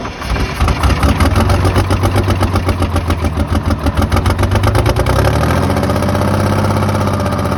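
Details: 1982 Silver Eagle tour bus, Detroit 6V92 diesel parked 6-10 years, hot day: catches after cranking, picks up quickly, settles to a steady even idle, no knocks or death rattles; builds air pressure quickly.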